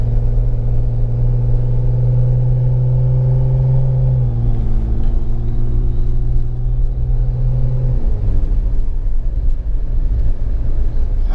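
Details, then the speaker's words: Jeep Wrangler over small bumps, with a squeak thought to come from the rear tire carrier; steady road rumble and engine drone, no squeak or creak from the back; sounds good so far. "so far so far it sounds good so far it sounds good"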